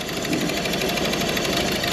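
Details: Peugeot 2008 with misfire after motorway breakdown, diesel idle clattering unevenly and shaking as a working injector is unplugged, dropping a cylinder; injector 2 (physically third position) failed with fault code, others tested okay.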